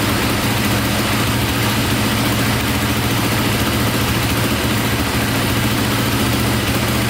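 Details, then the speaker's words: KTM 450 single after a carburetor fix, with a suspected overheating problem; a steady, even idle thump with no misses and no smoke; owner suspects a click at shutdown is the one-way starter bearing: normal idle. "wow what's good so far see if she fires right back up sounds good"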